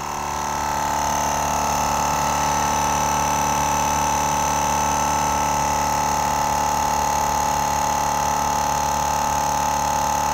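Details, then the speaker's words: GSPSCN dual-cylinder 12V portable air compressor inflating a flat load range E BFGoodrich KO2 tire from 0 toward 40 PSI: steady, even mid-pitched whir, quieter than expected, no knocks or rattles. "i really thought it'd be a lot louder it is this is a dual piston it's slowly going up"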